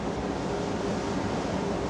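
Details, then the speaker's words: Dam outlet pipe filling with water under reservoir pressure, about 190 m head: continuous soft hiss with low rumble underneath as last trapped air is pushed out through escape valve at top of pipe. "you can hear it hissing honestly it sounds a bit like the plumbing in my house do you run a bar it makes this much noise so it's familiar"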